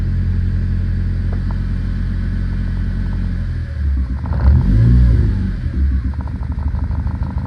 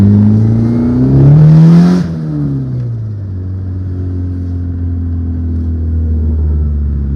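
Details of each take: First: 1997 JDM Honda Accord wagon, hard to start and smoking from the exhaust. Deep idle with a brief rev and an uneven, stumbling beat about four times a second: engine misfire. Scanner flags the engine coolant sensor as bad although it was already replaced. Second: 1997 JDM Honda Accord wagon in for repairs, earlier misfiring with a coolant sensor code. Here the engine revs up cleanly, then drops back to a steady, even idle with no knocks or rattles; sounds healthy, normal running.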